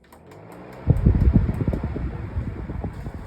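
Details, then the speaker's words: Vornado model 810 18-inch box fan switched on at speed 5 then turned down to speed 1; spins up to a smooth, even whoosh with no rattle or scrape, surprisingly quiet; normal fan running. "Goes down to speed 1. It's already pretty quiet, as you can hear. I really am surprised."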